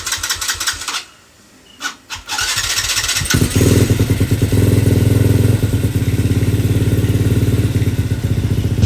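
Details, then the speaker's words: Motorcycle with freshly built full-spec 65 engine and clutch conversion, first start after installation: starter cranks twice, then engine catches and settles into a steady, even idle with a fast regular exhaust beat. "Ah dan sekarang tiba masa untuk kita start lah. Okey. Bismillahirrahmanirrahim. Ni first start eh."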